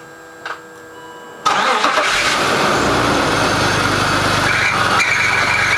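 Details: BMW E39 525i petrol (not diesel): cranks and catches, then busy idle with a dry, diesel-like clatter from the engine bay; rattle source unidentified.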